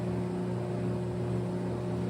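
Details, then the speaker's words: LG front-load washer after hot and cold water valve replacement, diagnostic mode drain test: steady even low drain pump hum, no grinding or rattle; sound changes when empty and pressure reading returns to about 261, normal. "you can hear that the drain pump when it changes sound is empty and you can see it's almost on is on 261 where it started so we're close enough to 60."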